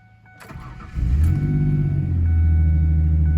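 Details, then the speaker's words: 2004 Ford Ranger 3.0L V6 after fuel filter replacement and fuel pump priming; starter cranks briefly, engine catches cleanly into steady even idle, no misses or knocks: getting fuel, normal start (lean codes from earlier unprimed cranking). "As you can see, it is getting fuel, so I'm gonna leave that run here."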